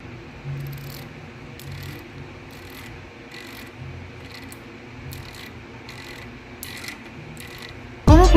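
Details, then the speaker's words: Bicycle rear hub after its driver (freehub) was serviced and greased, formerly very loud when dry: only faint, soft ticks as the wheel coasts, under a low hum. Freehub now quiet. "escuchar la diferencia del sonido esa misma al tronaba exageradamente mucho sin nada de grasa y ahora llega engrasado la verdad de sonidos super leve"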